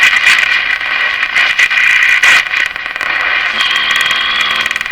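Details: Canadian Westinghouse Model 684 tube radio, after cleaning up the IF bypass circuit, on live antenna: harsh crackling buzz with irregular bursts and dropouts over hiss, believed external interference, not the radio.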